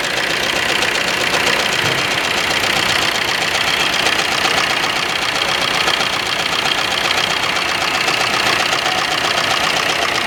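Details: Suzuki Ertiga diesel engine: hard, clattery note with an uneven beat and occasional stumbles; misfire, cause not yet found.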